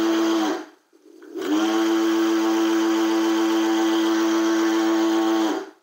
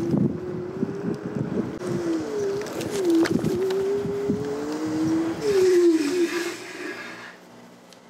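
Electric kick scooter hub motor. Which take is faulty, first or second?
first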